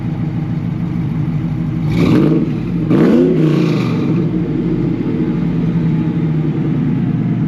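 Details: 2003 Ford F150 Lightning V8 tuned on E85, with a Bassani muffler, J&L catch can, ice box and AFCO heat exchanger: deep, steady burble with two quick blips rising and falling cleanly back to an even idle; healthy.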